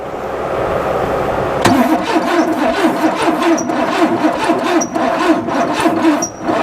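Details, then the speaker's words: Pontiac Firebird V8 revived after sitting, rust flushed out: weak, slow crank on a low battery, then it catches briefly and runs rough and uneven before the battery gives out; weak battery cranking, brief start. "hold on we lost battery but it started yeah"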